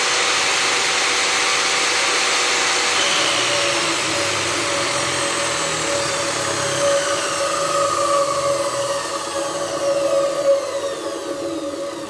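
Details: Profile saw motor running after a soft start module was wired to the switch and motor: even, high whir that eases gently toward the end; runs smoothly.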